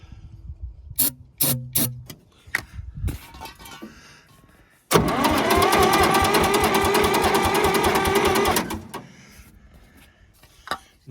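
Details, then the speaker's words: Massey Ferguson 200 crawler loader, three-cylinder Perkins diesel, battery fitted, cranked at starter solenoid with ether; steady rapid cranking, repeated tries, never fires: cranks but will not start, cause unknown. "nothing going give it one more try not any not any sound at all with ether"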